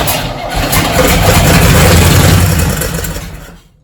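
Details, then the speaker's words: 1968 Chevy C10, believed 307 V8, sat about 30 years in a field with a locked engine, started on fuel poured into the carb: catches, runs rough and uneven about three seconds, then dies; fuel system, oil change and rocker adjustment still needed. "that's a good sign i think she's gonna run"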